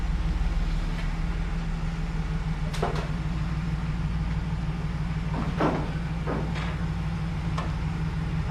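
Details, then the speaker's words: 2011 GMC Sierra 1500 V8 idling after battery hookup; even, low idle under door and handling clunks, steady rhythm, no tapping or misfire; squeaky belt noted earlier; sounds nice and quiet, normal idle. "what do you think looks nice sounds all right huh nice and quiet let this thing run for a minute"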